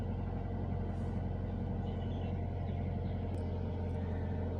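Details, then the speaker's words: Toyota Avanza just started cold in the morning: smooth steady raised idle above 1000 rpm, no knocks or misses; normal cold fast idle. "ketika baru kita menyalakan mesin baru menyala itu RPM menunjukkan diatas 1000 seperti ini ya ini normal karena mesin Masih dingin"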